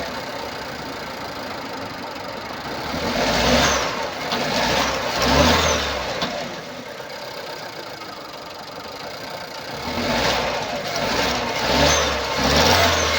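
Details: 2016 Nissan Pulsar C13, 1.2 L petrol HRA2DDT (85 kW/116 PS), 97,716 km: uneven, lumpy running with irregular puffs and stumbles on each rev blip; misfire diagnosed as a burnt exhaust valve.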